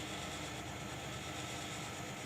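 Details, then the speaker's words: Split air conditioner indoor evaporator, not cooling; loud continuous rushing hiss with low rumble, refrigerant gas flowing unmetered because replaced discharge valve is a plain one lacking the expansion restrictor; planned fix is adding expansion valve. "Así que le han puesto uno comú y por eso lo que se siente es el flujo del gas cuando el compresor lo empuja"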